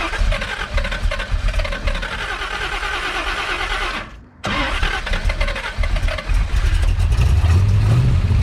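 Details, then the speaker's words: Big-block Chevy V8 with big cam and rebuilt Holley 750 double pumper carburetor: after raising the curb idle screw it idles high, then the lumpy uneven idle falls on its face and nearly stalls, needing another pump shot of fuel; rough idle and stalling. "so you saw there I turned up the curb idle screw it idle went up I was able to let my hand off the throttle but it was idling high and after a few moments it wanted to fall back on its face and wanted to stall out"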